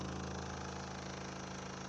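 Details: Renault Laguna 3 Coupé 2.0 dCi 180 diesel at idle: a fast, steady buzzing rattle from dashboard vibration, exact source unknown. The upper engine mount has already been changed; the owner reports foam packing stopped the vibration.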